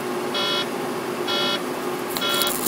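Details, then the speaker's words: Truck cab while driving: short high-pitched warning beeps repeating about once a second, recurring on and off for weeks; no fault shows in the system scan, and a bad sensor is suspected but not confirmed. "if we look through the system ain't nothing wrong in the system it's a sensor that's gone bad"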